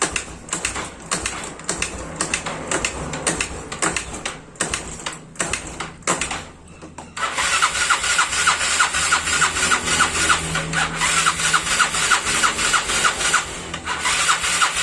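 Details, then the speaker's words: Yamaha Mio Sporty scooter (about 2008–2009) kick-started repeatedly, turning over without catching, then a steady mechanical rush; won't start. "Hai motornya masih belum hidup sekarang kita harus buka dulu bagian tempat duduk"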